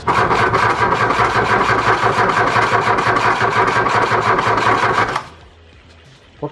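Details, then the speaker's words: VW Golf Mk1 after engine swap, first start attempt late at night: starter cranks evenly at about three compression beats a second for five seconds, engine never catches, then silence; crank, no start, cause unknown. "Exhausted and clueless, we threw in the towel and closed up shop for the night, hoping that a new day will bring some inspiration."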